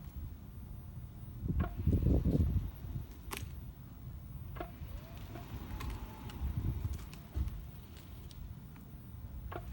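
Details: Tesla Model 3 Performance: irregular dull clunks through a low rumble from the front drive unit; Tesla ended up replacing the front drive unit.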